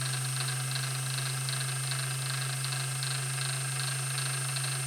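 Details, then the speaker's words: Vintage Singer 201-2 sewing machine (Carol's) after restoration, run with the bobbin winder engaged: a smooth, strong, even hum at steady speed with no grinding, rattle or labouring and only a slight drop under load; a meaty, strong, healthy motor. "that is a meaty strong happy motor"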